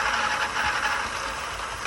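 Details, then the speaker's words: E-bike rear hub motor after crash wiring repair (three-phase wires reconnected), wheel lifted and powered: smooth steady whirr, faint light rattle, no grinding or catching; spins normally. "And you can hear there, it seems to be spinning fine."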